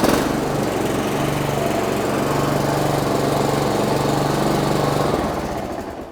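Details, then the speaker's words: Honda GCV190 lawnmower engine after service with oil change, spark plug and air filter replacement: steady, even chug at constant speed with no misses or knocks, then winds down smoothly; engine healthy. "The Honda GCV 190, simple service, oil change, plug change, filter change. We've got a working Honda engine, haven't we?"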